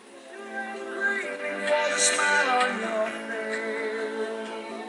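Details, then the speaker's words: 1980 Technics RS-M5 cassette deck after restoration, playing the stretched start of a cassette, worn from repeated rewinding: music pitch wavers and level swells and sags, distorted and fading in and out; stretched tape wow and flutter, not a deck fault. "Yeah, you can tell the sound the sound is distorted and fades in and out and what have you, so it's really not pretty."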